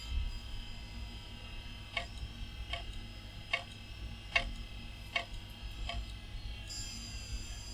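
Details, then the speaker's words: Old Bigfoot hard drive attached to a salvaged retro PC spins up with a quiet hum, but sharp ticks land about every 0.8 s, the repeated clicking of a drive failing to come ready; it later spun down and stayed off. "as I recall the Bigfoot made the most wondrous sound when it was booting up let's see if there's wonders it's spinning that's a good start oh doesn't sound very happy"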